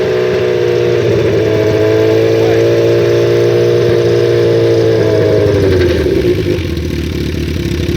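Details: Gen 1 Suzuki Hayabusa, custom build: steady whirring rub over the exhaust drone, like a fan rubbing, from the rider's right side, heard held near 3000 rpm and fading as revs drop. Source not yet identified; noise goes away around 3000 rpm.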